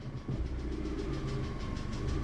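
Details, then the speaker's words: VAZ-2112 16-valve engine, warm idle after fixing an air leak under the injectors with a new seal kit and fitting a new mass air flow sensor: even, steady low rumble with no dips or stalling feel; idle even better than before. "with the new mass air flow sensor the engine works as it should now the idle speed has become even better"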